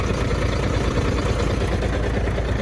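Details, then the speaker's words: MAN truck diesel at idle; runs quiet when started, but after about 10 minutes the air compressor heats up and starts knocking: dull, regular light knock riding the low beat; knocking air compressor. "Я не знаю допустим вот я его завожу он работает идеально проходит где-то минут 10 начинает стучать а стучит компрессор Толик компрессор греется что происходит но он прям начинает такой подстукивает хорошо"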